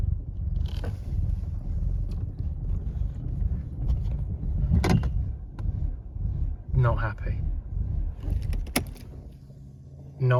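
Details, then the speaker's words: 1993 Mercedes 220CE W124, M111 2.2, before throttle body and coil harness rewiring: a deep idle that keeps dipping and surging, with an uneven, lumpy misfiring beat. The crispy old wiring is suspected, not yet confirmed. "now as to why the throttle body and coil harness wiring needs to be done this don't know if you can see that but it's really Lumpy"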